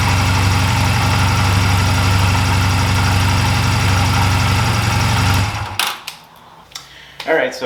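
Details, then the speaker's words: 2004 Honda Rebel CMX250C twin with NGK CR6HIX iridium plugs fitted after new CR6HSA plugs idled badly: steady even low putter at quick idle, then shut off; smooth, healthy idle. "so the hix plugs seemed to be working just fine the iridium plugs uh the old plugs actually work just fine"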